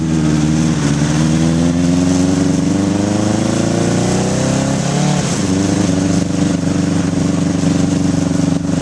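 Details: 1981 Honda CB750 K1 four on test ride, partly on choke: revs climb unevenly then sag sharply mid-pull before recovering, stumbling under throttle; owner suspects vacuum leaks and carbs out of sync.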